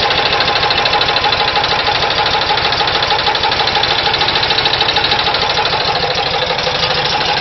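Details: VW Type 4 engine at steady idle: sharp, regular knocking about three times a second standing out from the engine note; engine knock, cause unconfirmed.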